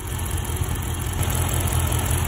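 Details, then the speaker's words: Dodge Charger R/T idling with a coil pack unplugged as a test: a deep, lumpy, uneven idle with throb and shake; the coil-unplug test was taken as confirming coil pack 6 is bad. "okay guys so confirmation there that the call pack number six is bad and we are going to go and get it really quick"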